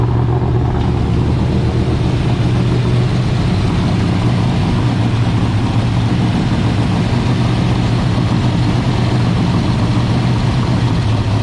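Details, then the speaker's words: International rat rod truck V8, warm, with gas pooled near the carburetor before a rebuild: lumpy, loping, stumbling idle; the dirty carburetor needs cleaning badly, described as an easy fix. "Yeah, she needs a cleaning pretty bad. It's an easy fix."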